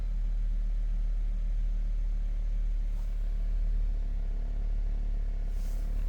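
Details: Hummer H3 that had set a P0300 misfire code: deep, steady idle hum with no misses, knocks or dips over six seconds. Engine running smooth and even.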